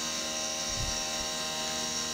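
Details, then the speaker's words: Milling the 3D lightening pocket on an AR15 high-rail gas block: a steady high-pitched cutting tone with no rattle or pulsing; this pass runs without chatter, even though the same cut chattered before. "now curiously on this path which is the exact same cut it doesn't chat i'm not sure what that's about"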